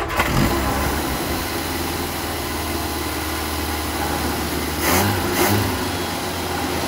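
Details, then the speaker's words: 1975 Vauxhall Viva barn find with newly fitted Weber carburettor and Edelbrock intake: engine fires and holds a steady fast idle, never dropping to slow tickover; high idle, owner plans to try 12 V feed to idle cut-off solenoid. "still idling really high right I'm going to try running a 12 volt feed to the carburetor the idle shut off solenoid"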